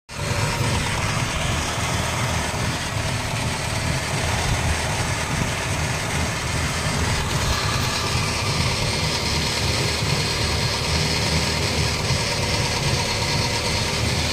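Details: Holden Barina TK while driving: steady low roar and drone, the hum of a suspected worn wheel bearing, not confirmed.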